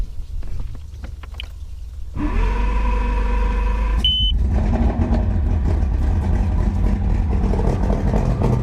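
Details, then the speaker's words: 1999 Johnson 200 hp carbureted outboard, unrun for a while, cold start with primer bulb firmed and quarter throttle while cranking: fires after about two seconds, a short beep, then a steady, even rumble; normal cold start. "now usually uh giving it a little bit of gas like a quarter throttle really helps it it hasn't been run in a while"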